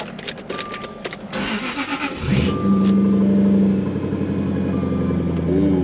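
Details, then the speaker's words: Supercharged Jaguar XKR V8 at a dealer-only auto auction: brief starter crank, then the engine catches cleanly and settles into a deep, steady idle with no misses or knocks; a healthy cold start. "She sounds gnarly, dude."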